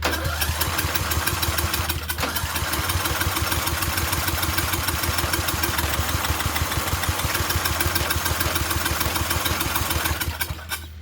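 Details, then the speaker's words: Murray Select 30-inch riding mower being revived, fuel tap leaking: fast starter chugging about three beats a second for ten seconds with no firing; cranks but won't start, owner suspects a safety plate not being down. "tugs over, but it's not doing anything."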